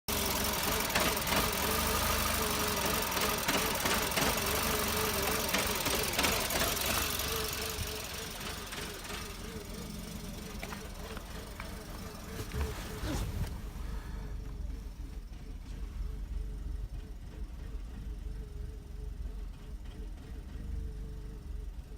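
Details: VW Golf Mk5 1.6 FSI petrol: idle wavers and stumbles with misfiring; EGR valve replaced twice, plus MAP sensor and all coil packs, and a recent service, but the problem remains.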